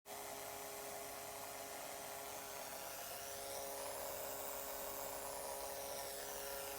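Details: Acer Predator G9 (593) laptop after 9–12 months of use, internal speakers: constant thin buzz with steady mid-pitched tone over hiss as system heats up, also in BIOS or during large file copies; owner guesses southbridge-area interference; external 3.5mm output clean.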